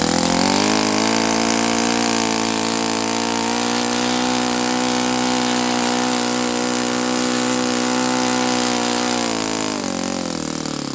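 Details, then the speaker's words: Saito FA-82a four-stroke glow engine after valve spring replacement, timing and compression good, valve lash just set, INA glow plug: high steady drone never climbs, sags at shutdown; not reaching peak RPM, cause unknown, plug swap planned to rule out plug. "I'm going to swap plugs just to prove to myself and everybody else that the plug is not the reason why it's not reaching peak RPM."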